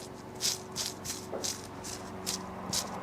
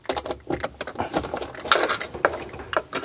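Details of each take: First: Land Rover Defender 110 alternator, old bearings removed at auto electrician and spun by hand: dry, gritty rattle in repeated bursts about two or three per second; both bearings worn with play, replaced with new ones. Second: Land Rover Defender 110 diesel after front crankshaft oil seal repair, with a temporary pump fitted and a bit short on ATF: about four seconds cranking, then catches and settles into an even idle, quieter than before, no whine or rumble.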